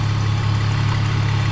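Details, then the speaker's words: 2001 BMW E46 petrol engine idling smoothly after a Motor Medic engine flush and oil change; the earlier loud abnormal tick is gone, leaving only the faint, even, normal valvetrain ticking it has always had. "That normal ticking, that's it's always been there. Every engine sounds like that."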